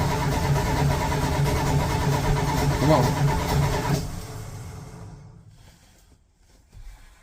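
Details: 1985 Dodge D150 truck, cold, leaving for work with an intermittent hard start: the starter churns steadily at about three turns a second for four seconds and the engine never catches; extended cranking, no start.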